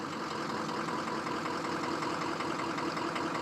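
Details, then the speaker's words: 2003 Ford F-350 6.0 Power Stroke diesel with recently replaced injectors at a lumpy, uneven idle: the cylinder 6 injector is dead and misfiring and won't come back with throttle input; cylinder 8 also set a contribution code. "So here we can see just how dead number 6 is. With throttle input, sometimes they'll come back. But this one doesn't really want to."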